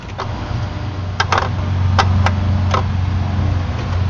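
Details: Car with ignition on and engine off, uneven sharp ticks about three or four a second over a low electrical hum; source undetermined.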